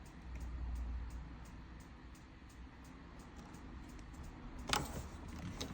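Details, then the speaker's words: 2006 Adria Twin camper van hob with ignition switch on: faint, sharp ticks about three per second, the igniter clicking normally while waiting for the flame to light. "It's a little little ticking noise in the background as you can actually hear the igniter clicking away in the back."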